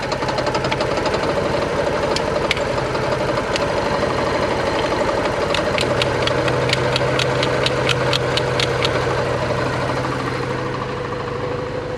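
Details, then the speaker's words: 1987 Porsche 924S just after a new Bosch fuel pump, warming up with oil light flashing: uneven loping idle with a stumble about twice a second, barely smoothing, one cylinder missing; owner suspects injectors need cleaning. "it's smoothing out a little bit but not not much you can tell it's definitely missing on one for sure"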